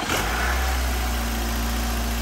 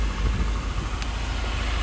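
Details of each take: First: 2009 Nissan Altima after replacing all four spark plugs and coils to cure shaking and rattling; steady, even idle with smooth low hum, no shaking or stumbling, normal idle, owner believes it is fixed. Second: 2009 Nissan Altima, misfire code stored, shaking and unable to exceed 40 mph: uneven, lumpy, rattly idle that keeps stumbling; cause unconfirmed, plugs and coils to be replaced; misfire rough idle.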